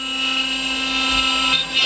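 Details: CNC router carving pine, about two-thirds through the cut. Steady high-pitched spindle whine with light cutting chatter, even and unbroken; carving smoothly and healthy.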